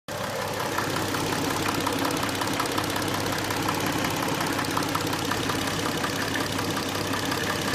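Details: Hyundai Tucson at idle: fast, light ticking at about three per second over the engine. Suspected noisy hydraulic lifters.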